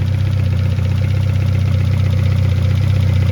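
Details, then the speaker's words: 1971 Toyota Celica RA20, 18RG on twin Weber 40 DCOE carbs, just synced via balance screw with both carbs reading just over 5 on the gauge: steady even smooth idle, no misses or spitting here, though carbs later still spat back. "So now the carbs are synced together, and we can move on to the next step."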